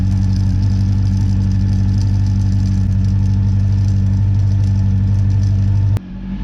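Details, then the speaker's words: Honda CB400 V-Tec four-cylinder, sat for years, after fuel pump replacement, low fuel: steady, even idle with smooth low hum, running on all four cylinders with no misses or knocks, then shuts off; injectors were suspected blocked but it runs clean. "all right really happy to hear that thing run i'm starting to get worried that the injectors might have been blocked and needed to be cleaned and stuff so the fact that it ran on all four and ran smooth and beautiful just makes me really happy"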